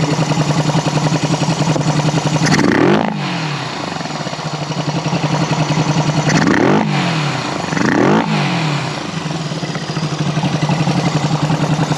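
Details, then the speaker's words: 1974 Honda CB360 twin after carb work, earlier seemed to run on one cylinder (owner thinks it was flooded): revs up cleanly and settles back to an even, steady idle with no stumbling or surging. Now running properly. "I think it was just flooded cuz now it's running the way it's supposed to"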